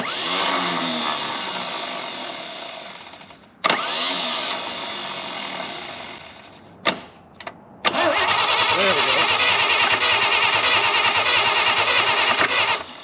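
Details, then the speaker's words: Chevrolet Blue Flame stovebolt six, out of the truck, first crank on 12 volts, negative ground: starter turns it over at an even ~3 turns a second, no grinding or dragging, starter not hot; normal cranking. "turns over that's a good sign how hot's the starter that's not hot"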